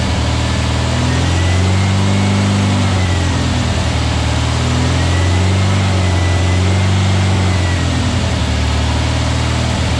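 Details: Freshly built VW Beetle 1679cc single-port engine, Scat C25 cam, dual Empi ITC carbs, 20-minute cam break-in: steady loud fast-idle drone with even pulses, no knocking or ticking; running cleanly, timing spot on, carbs need tuning.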